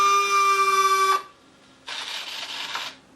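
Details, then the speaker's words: FMS F4U Corsair RC plane after a gear-up belly landing, gear cycled from the transmitter: a steady high electric buzz, a pause, then a softer servo whir. The main gear doors don't close fully. "you'll see that these doors don't close quite all the way I can get them down but um that's not quite right"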